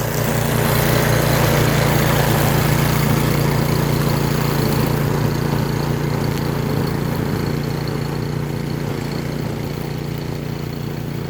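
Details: Toro 22-inch 163cc walk-behind string mower, model 58620, Briggs and Stratton engine, cutting weeds up to about 2 inches at lowest setting: steady even low drone under load, no misses, surging or knocks; clean wide cut, engine runs smoothly, normal.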